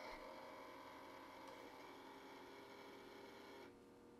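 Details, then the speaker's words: 1990s Sony TC-K590 cassette deck, not playing (owner suspects disintegrated belt), at power-on: steady whirring hum with faint rough uneven rattle as the deck starts; motors noisy, possibly dry bearings. "and immediately you can hear that the uh the motors are kind of noisy so there's possibly some dry bearings in there"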